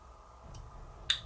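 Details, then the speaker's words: Polti Vaporella Forever 850 steam iron boiler solenoid valve, opened with a magnet: when the magnet is removed, the spring snaps the valve shut with one crisp click in a quiet room. Normal closing. "Sentite quando stacco la calamita che si richiude. Sentite tac,"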